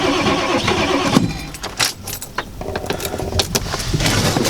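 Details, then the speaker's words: 1995 Ford F-350 7.3L Powerstroke turbo diesel, icy cold start, booster attached, sitting since November, not plugged in: starter churns in uneven bursts with clatter and rattle, never catches; owner suspects glow plugs. Cause suspected, not confirmed. "And on that thing, I don't think you're supposed to crank that long with these things either. She wants a fire."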